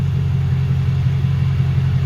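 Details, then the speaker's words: Lexus LS400 1UZ-FE V8 after intake manifold gasket and injector seal replacement; earlier high, rough idle was blamed on injector seals: low, even V8 burble at warm idle, steady and smooth with no stumble or miss; normal idle. "smooth it's not running rough like it was before"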